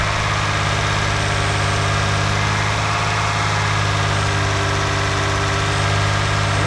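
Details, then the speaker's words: Engine on first start after timing belt replacement, with slight smoke from old oil burning off: smooth, even idle with a steady low hum and no knocking, slapping or misfire; normal idle. "So far so good. Sounds pretty good. It didn't blow up right away, so that's good."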